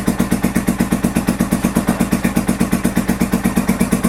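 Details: 1983 Honda VT750 V-twin after a top end rebuild and modifications, idling on choke at first start: even loping thump about 167 a minute, steady, nothing knocking; normal choke idle.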